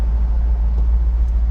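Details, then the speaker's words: Restored 1967 Ford Mustang V8 with a mildly hot cam: deep, even low rumble with a gentle lope at idle, the slight roughness coming from the cam; normal, smooth-running engine. "It's got a little bit of heat to the cam. That's all. You'll just hear the little bit rough idle, but that's just because of the cam that's in it."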